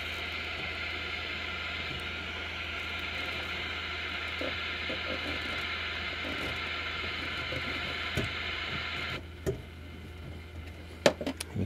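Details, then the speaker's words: Motorola vintage tube AM radio: steady hiss with faint hum and buzz that drops away sharply once a tablet's switching power supply is unplugged; radio interference noise from the charger. "hear that that tablet horseplay was responsible for a lot of I'll call it white noise and pink noise and we still have some noise going on here some busing"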